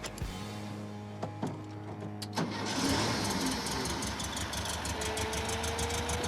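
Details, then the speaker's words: 1968 Volkswagen Beetle with a newly installed air-cooled engine, just fitted with a new starter, fuel pump and battery: starter clicks and cranks briefly, then it fires and settles into a steady idle with no misses; normal start and idle. "Sounds good. Runs like a champ. It's a very happy motor."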